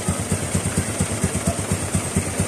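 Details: Honda RS 125 carb-type two-stroke: steady idle, about five even pulses a second, no rattle or piston slap between beats; sounds healthy.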